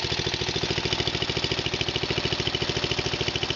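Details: Murray's Power Built 12.5 engine just after its first cold start in four months, choke pulled out slightly in cold weather: a quick, even single-cylinder putter at steady idle with no misses; a cold engine idling normally on partial choke.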